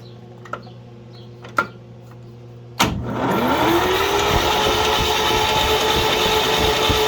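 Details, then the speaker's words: 1941 GMC one-ton pickup, 230ci straight six, first start attempt in 20 years on a weak battery with charger; steady starter whir about four turns a second with no firing pops; cranks without starting. "cranks and i backed off of it there just a little bit sooner than i could have"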